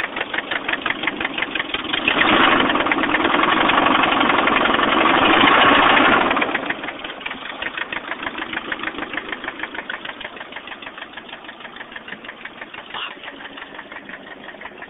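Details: 1989 Nissan 240SX KA24E, head rebuilt recently after overheating: steady ticking knock about four per second at idle, even and persistent; owner unsure whether rod knock or lifters needing bleeding.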